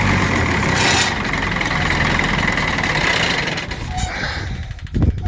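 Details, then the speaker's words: Auction-bought 190 XT tractor diesel, with air still in the fuel system, chugs unevenly while ether is fed and the throttle is adjusted, then falters and fades out. It runs only on starting fluid. "There you guys go. It will run, be it on ether, but it's definitely sitting there running. It doesn't sound bad."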